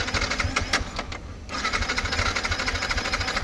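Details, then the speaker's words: Yamaha MT-15 after fitting a new battery: starter spins the engine with a quick, steady churning rhythm but it never catches; cranks but won't start, owner suspects an engine problem. "புது battery போட்டு start ஆகல. கண்டிப்பா இன்ஜின்லதான் ஏதோ பிரச்சனை இருக்கு."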